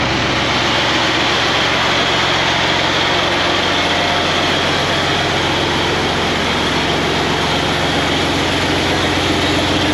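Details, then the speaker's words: Tractor 8320 diesel with a freshly rebuilt engine, running after adjustments and the fuel primed: heavy clatter at a steady idle, loud and raw without the full exhaust connected but even and settled; running properly. "wow that went a lot easier that went a lot easier that time"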